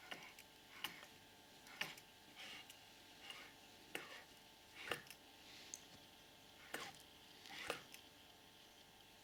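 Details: Purejet scooter with a newly installed Malossi 70cc cylinder kit and Malossi crankshaft, crank turned by hand: sharp, bright clicks about once a second at the top of the stroke from the crankshaft rod.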